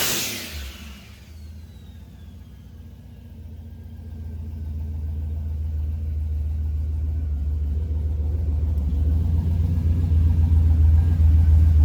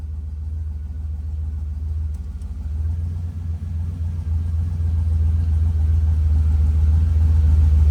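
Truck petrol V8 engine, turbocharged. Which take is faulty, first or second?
second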